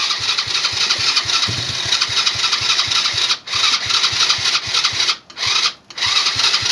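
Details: Old ATV pulled from a barn after sitting, fuel filter leaking and little fuel reaching it: steady rapid cranking pulses, about seven a second, on and on with no catch or firing; it cranks but won't start.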